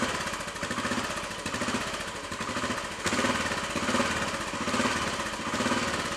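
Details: Royal Enfield Bullet 500 single idling just after start-up following head gasket replacement, exhaust blow at head fixed, baffle removed and carb needle raised: steady deep thump, booming exhaust, no knocks or rattles; sounds healthy.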